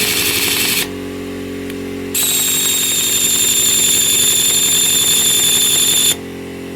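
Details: Older air impact wrench, snap ring missing, on lug nuts: hammers fast and shrill with a steady whine, rough and uneven; something sounds off inside, cause unclear.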